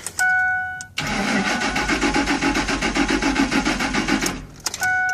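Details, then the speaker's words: 2003 Ford Expedition XLT 4.6: a chime, then about three seconds of even, rhythmic cranking with no catch or sputter. It cranks but won't start, with no check engine light; the problem is traced to the fuse box. "I'm having problems with it it's um it cranks but it won't start as you can see that I'm gonna try that right now you can check it out I cranked it but I won't start at all"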